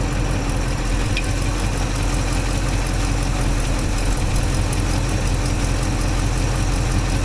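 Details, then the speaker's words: 1964 IH Travelall C1100 after timing set around 15-19 degrees and idle adjusted, now about 600 rpm, warm: low, even burble at slow steady idle, no misses or knocks; sounds much better, success. "That sounds so much better. What? It's actually at 600 now."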